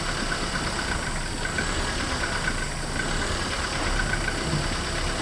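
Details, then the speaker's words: Renault Twingo after replacing the engine mounts, handbrake on, test in gear: steady, even idle with smooth low rumble, no knocks or rattles; very little vibration, much better than before the repair. "और हमें लगता है कि वहां है बहुत कम कंपन यह पहले से काफी बेहतर है"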